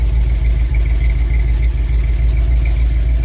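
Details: Older car or truck recorded at the tailpipe after the ignition tune-up and the throttle tapped: steady, even idle with a smooth low pulse and no misses or stumbles; normal idle after the tune-up.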